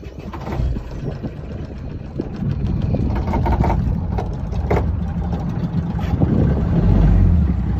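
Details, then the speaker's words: Ranger Tug 21EC diesel Volvo Penta after fuel filter change and priming, first start of season at launch: steady low diesel chug with even beat and water slap; engine runs smoothly with no misfire. "so we got the motor running no problems everything's looking great on our Ranger 21"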